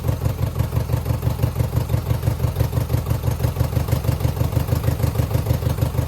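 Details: 2009 Subaru Forester X NA EJ253, remanufactured OEM heads, third start after engine install: lumpy idle with uneven chuffing beat, one cylinder dropping out; owner suspects cylinder 2 misfire from cracked head or water in block.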